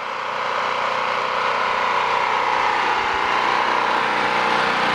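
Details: Generator running on half choke after only rerouting its hoses, which owner says are not pinched; steady, busy drone with slight flutter and no big hunting. Half choke tames an unexplained surge; cause unconfirmed.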